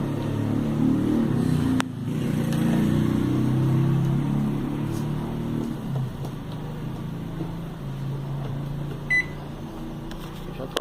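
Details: Philco microwave after repair of strange noise and no heating: steady low hum, even fan drone, a click near start and one short beep, normal operation.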